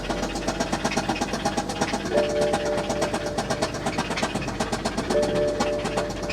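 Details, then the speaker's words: BMW 535 twin-turbo salvage-auction car, oil level unknown (no dipstick): at start-up the idle carries a regular, fairly quick knock; suspected rod knock from underneath, not confirmed. "Well, so is it just me, or did I hear a rod hanging out from underneath the car somewhere? I don't know for sure what that was, but in my head, that sounded like a rod hanging out of the engine."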